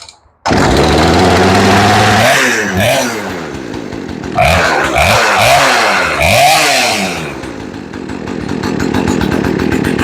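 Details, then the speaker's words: Poulan Wood Shark two-stroke chainsaw after new carburetor, fuel lines and filter, no carb adjustment, air filter off; fires up, low idle, crisp revs up and down with no bogging; normal running. "You sound pretty good. Idle's nice and low. And she revs nice and easy."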